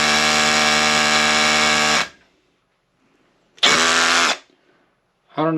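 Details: Milwaukee M12 Fuel 12V SDS drill after reassembling the hammer mechanism to fix skipping in hammer mode: strong steady buzzing drive for two seconds, a pause, then another short even burst; drilling smoothly, now working normally.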